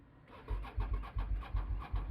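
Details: Motorcycle (about 70 bhp) with suspected flat battery, charger not switched on: slow, laboured cranking thumps about three a second that never catch; engine turns over but won't fire.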